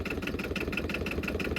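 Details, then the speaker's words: 2008 Arctic Cat Diesel 700 quad, bought not running, now started: slow even diesel clatter about six beats a second with no stumbling, idling very low; normal idle. "Would you look at that? She's idled very low. I can't believe"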